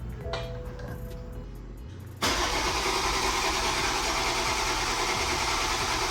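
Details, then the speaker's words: Toyota MKV Supra at first proper start-up: even cranking with faint uneven catches as combustion speeds the engine, then it fires and holds a loud, fast idle; cranking with intermittent firing. "We just kept cranking, and noticed that the car wanted to start. So we had a little bit of here and there combustion happening, and you can hear it because the engine would start to spin faster."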